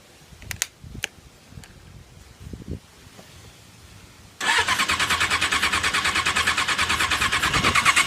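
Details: 1994 Suzuki Katana with new plugs, wires, coils and battery, and a cleaned carb with adjusted floats. After handling clicks the starter cranks at a steady three turns a second for several seconds; the engine never catches. Crank, no start.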